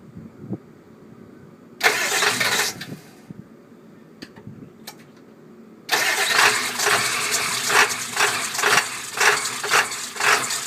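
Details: Cold start on a 1999 Ford F-250 7.3L Powerstroke diesel: a short crank, a pause, then several seconds of slow, even cranking at about two beats a second; hard cold start.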